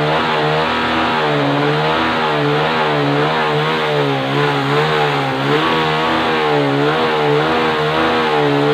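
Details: Suzuki 115cc motorcycle in a no-start troubleshooting job, now running: the single holds a steady note with gentle rises and falls as the throttle is blipped, even and clean; engine healthy.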